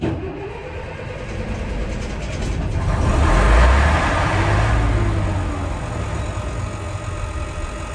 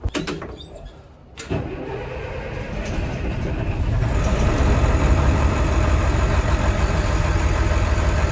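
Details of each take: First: Old diesel bus (Merlin MB375 or Atlantean 1101): the starter cranks, the engine catches and swells for a couple of seconds, then runs down and stalls. Never done before; owner suspects a fuel issue and plans to prime the pump. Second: Old diesel bus (Merlin MB375 or Atlantean 1101) after priming the fuel pump, filters awaiting change: cranks briefly, catches in about a second and a half, then settles into a steady, even idle with no misses.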